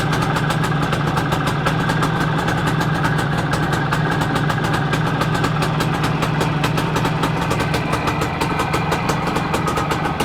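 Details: Планета 4 (Soviet motorcycle) engine after repair: steady, even two-stroke idle with crisp rapid exhaust beat, no knocks or misses; running as it should.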